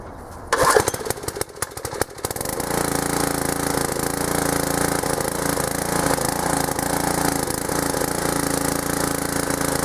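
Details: Old pressure washer small engine fitted with a homemade PVC gas tank replacing a leaking one, started on choke: a few rough pulls and sputters, then it catches and settles into a steady even run. Running normally.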